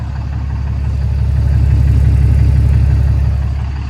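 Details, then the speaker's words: 2011 Ram 5500 cab-and-chassis Cummins diesel, first start after EGR and DPF removal: deep, even rumble with a steady low beat, no knocks or misses, no check engine lights; smooth healthy idle, though the fan clutch is a little wobbly and needs replacing. "No check engine lights, which is always a good sign. We will need a new fan clutch because this one's a little wobbly, but turn like a kitten."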